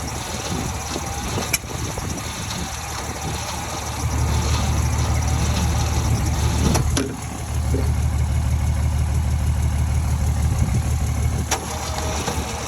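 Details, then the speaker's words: 1949 Ford shoebox after 50 years sitting, gas poured in, timing uncertain (maybe 180 out): slow dragging cranking about three turns a second, trying to fire but not catching; new starter cable, extra ground and new jumper cables didn't help; cause not confirmed. "okay so I was getting obviously really really slow crank I ran a new starter cable um I added a ground even actually got new jumper cables cuz I thought mine might be junk um so that has not helped at all it's still super CL slow crank"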